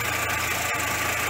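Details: VW Passat B5.5 2.0 ALT four-cylinder after camshaft position sensor replacement for P0343 and rough running: smooth, even idle hum with no stumbles or misfires; normal idle.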